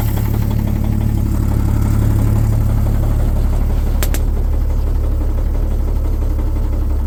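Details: 1950 Chevrolet 3800 one-ton, Chevy 235 six, sat since 1977, with Lucas Oil Stabilizer at 60%: rough idle with deep knock three to four times a second under exhaust drone; rod knock not fixed.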